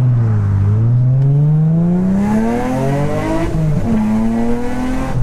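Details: Infiniti G35 after two faulty ignition coils replaced to cure random multiple misfire; clean, even revs climbing and falling smoothly with no stumble or popping, pulling evenly through the range; normal revving.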